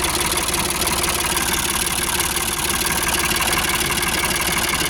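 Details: Ford 4600 (1000 series) classic diesel tractor, newly fitted with a service-exchange injection pump after standing a long time, idles with a steady, even low tick-over and no knocks. It is running cleanly, with minor fuel-leak dampness being checked.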